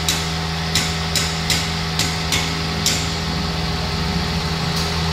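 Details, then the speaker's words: Car with bubbles at the radiator cap indicating cylinder head gasket leak, overheating: steady idle with a constant radiator fan whirr that never cuts out and a few light ticks; head affected, must be removed; fan running continuously. "Kipasnya nyala kan, harusnya normal. Kalau kipas nyala ini harusnya berhenti. Nah kalau udah kayak gini, headnya yang kena, jadi harus turun separuh."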